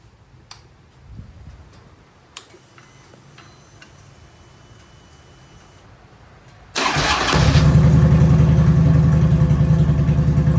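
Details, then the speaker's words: Harley-Davidson V-twin ("the Hulk") after fixing a faulty wire that stopped components communicating: quiet, then starter catches into a steady, even lope, about 200 beats a minute; clean normal start and idle. "that wire was causing everything not to communicate properly so it's all good now"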